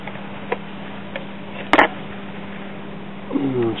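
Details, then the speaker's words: Symphonic 78 rpm record player bought cheap for parts, first power-up: a steady low hum near 200 Hz with no turning rhythm. The turntable motor is powered but seized; the amplifier tube lights. "like the motor is trying to turn but it's froze up"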